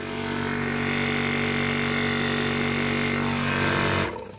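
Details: Imported 1300 W PCP high-pressure air compressor; loud steady rapid pumping beat with a constant buzz until shut-off. Normal operation under load.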